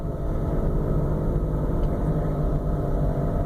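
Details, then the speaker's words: 2005 Ford Freestyle CVT, recorded inside the car while pulling away in gear: heavy low rumble with a fluttering, card-in-bicycle-spokes flap; probably front planetary failure, fixed by transmission replacement. "it almost sounds like a u you like you take a a a a playing a playing card and put in the spokes of a bicycle and spin the wheel that's what it kind of sounds like so this is probably um the front planetary failure"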